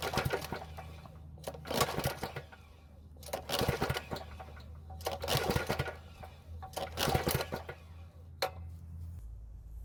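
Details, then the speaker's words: Powermate generator that sat a long time, stale fuel drained, fuel poured in carburetor throat: repeated rattling pull-start bursts, turns over but never catches; compression only 65 psi, stuck piston rings suspected; crank no start. "unfortunately it didn't start so we'll need to check"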